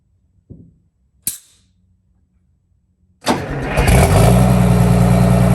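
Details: 1962 GM 4106 bus with Detroit Diesel 6V92TA started after an oil change: handling clicks, cranks, catches within a second and settles to a steady, even, deep idle. Healthy start.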